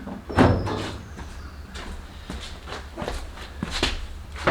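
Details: 1956 VW Beetle front hood latch, broken latch handle repaired and adjusted to stop squeaks: a few dull thumps and light clicks as the hood latches, with no squeak or creak; the latch sounds fine.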